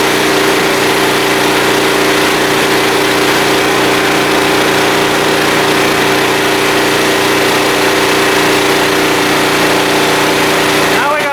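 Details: Small blue Walmart generator, about 15 years old, 110-120 V, started on choke after fuel system work; constant, steady drone with unchanging pitch, no surging or misses, running smoothly.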